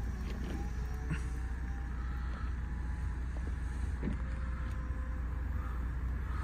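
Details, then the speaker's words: 2010 Mercedes E350 CDI convertible, 101k miles: electric roof lowering and stowing under tonneau cover, about 20-25 seconds, steady motor hum with soft clunks; smooth, normal roof operation. "guess it's about 20-25 seconds from start to finish, that roof function, so it's not the quickest one, but it is quite a big roof, and it's quite a complicated mechanism."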